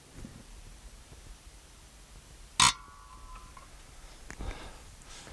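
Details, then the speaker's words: David Brown 990 tractor diesel injector on test bench after nozzle rebuild, pressure around 1,500 during calibration toward 2725 target: one sharp high chirp as injector pops, then quiet, the healthy normal injector chatter wanted. "That's what you want to be hearing."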